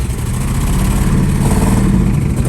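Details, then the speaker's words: 1969 Chevrolet Caprice 427 V8 with 4-speed, first start after sitting since 1988: loud, deep, uneven, lumpy stumbling run; rough running, owner suspects a stuck lifter. "whoa doesn't run very well but it runs oh how to lifters stuck or something more than a lifter than a step"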